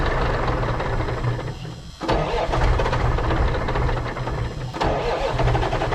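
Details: 1980s Marmon cabover semi, Big Cam Cummins diesel unrun about 18 years: after a brief dip settles into steady low clattering run, no misses or knocks; fuel shutoff solenoid not working, oil gauge stuck at 15 psi, suspected bad.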